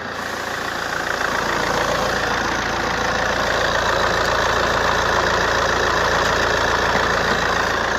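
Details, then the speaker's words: Accident-damaged Alfa Romeo GT Cloverleaf bought blind from Copart, no MOT, fluids checked good: steady, even idle with smooth hum, no knocks, misses, rattles or excessive smoke; engine sounds healthy and well looked after. "So early indicators are, like I say, that this has been a well looked after car. She's running and sounding sweet, as you can hear."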